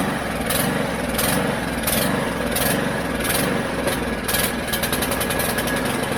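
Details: Mountfield HP414 petrol lawn mower, primed, started, then runs unevenly with lumpy surging and sputters out, running better on choke; lean running from a dirty carburettor, fixed by cleaning it.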